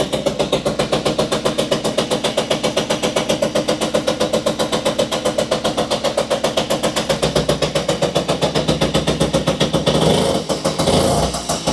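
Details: Puch Maxi two-stroke moped, previously a non-runner, running after new spark plugs were fitted. It chugs at a steady beat near four a second, firing evenly without misses, with a brief throttle blip and some smoke.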